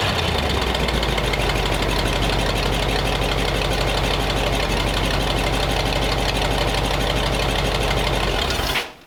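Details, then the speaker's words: Lumpy, uneven idle with a loose metallic jingle about four times a second, then engine shuts off; hose clamp on the radiator was hitting the crank pulley, owner suspects timing off and advance not hooked up. "Always jingling on it. The hose clamp was running on the radiator on the crank pulley. Not real happy."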